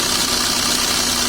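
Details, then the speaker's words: Maruti Suzuki Ritz idling on a flat battery with battery warning and check engine lights on: harsh, gritty high rasp from the alternator, which is not charging, its bearing broken inside; alternator bearing noise. "तो गाइस ये साउंड सुना के जो अल्टरनेटर है proper work नहीं कर रहा है। इसकी जो बैरिंग वगैरह अंदर कोई सिस्टम है पूरा टूट चुका है।"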